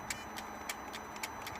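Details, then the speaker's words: Mercedes ML320 CDI, ignition on, engine off, after repairing the original turbo actuator: a few faint, irregular ticks and clicks as the actuator sweeps through its normal self-check; fault fixed. "that's going to turn the ignition on and see what happens can you hear it adjusting"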